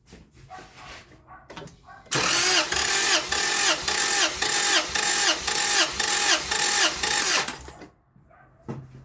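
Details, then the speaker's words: 2000 Acura Integra B-series engine with diagnosed blown head gasket, compression test on cylinder four: even starter cranking at about two beats a second, no uneven stroke; gauge reads about 200 psi, healthy compression. "oh wow that's really good about 200 so I was wrong I'm four is pretty decent"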